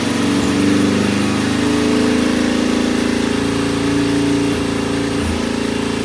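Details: Norton P11 vintage British twin, first kick-start after carburettor disassembly and replacing dead gasoline with fresh: lumpy idle around four pulses a second with small stumbles; one pilot jet doesn't follow adjustment like the other side's and will be cleaned again.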